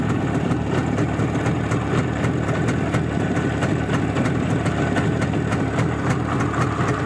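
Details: Izh Jupiter-5 two-stroke with balanced crankshaft, heard now after earlier metallic ringing blamed on piston geometry; even crisp popping at idle with no metallic ringing; normal idle.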